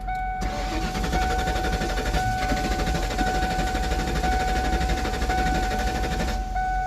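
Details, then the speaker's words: 1994 Mustang GT convertible cranking but not starting despite a brand-new distributor. The starter whirs steadily for about six seconds and the engine never fires. The cause is unconfirmed. "Nope. Back to our all crank, no start situation."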